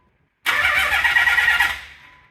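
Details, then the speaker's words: Nissan 300ZX non-turbo converted to twin turbo and manual, before first fire-up, cranking in neutral to circulate oil: about two seconds of even steady chuffs, no firing; compression sounds healthy. "sounds good yeah sounds good sounds like she's pumping compression and everything"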